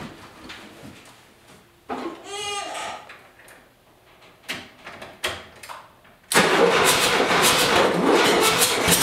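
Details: 1977 VW Westfalia van engine labouring unevenly with a stumbling, lumpy beat: a major misfire on one or more cylinders, barely running with no power and needing a muffler; cause not yet diagnosed.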